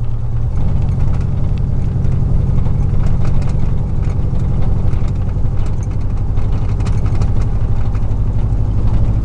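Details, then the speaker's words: 2000 Chevy 4.8 V8 truck driving with four ignition coils deliberately unplugged: uneven loping, stumbling beat instead of a smooth V8 burble, sounds like a small four-cylinder truck; dead cylinders, rough running. "It don't sound nothing like a V8. It sounds like a little Nissan truck."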